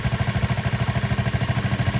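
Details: 1960 Wheel Horse 400 Suburban garden tractor with Kohler engine, bought as no-spark, test run in neutral: steady single-cylinder thump at about nine firings a second, even and unbroken, mower droning faintly in background; runs normally.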